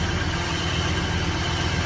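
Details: 2001 Cadillac DeVille with codes P0351 and P0303, slight smoke and an oil leak: low, lumpy, shaking idle; suspected misfire from worn spark plugs and a faulty ignition coil.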